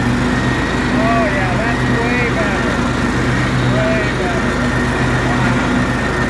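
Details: John Deere L130 riding mower after replacing the deck bearing housing whose bearings had failed, deck reinstalled: steady, even engine drone with smooth blade whir, no grinding or bearing squeal; repair fixed the issue, normal running.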